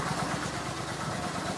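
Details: Kawasaki VN900 Classic V-twin after charging-system work, in garage: steady even idle with regular low pulses, no knocks or rattles; 13-14 volts measured, alternator and regulator working; normal idle.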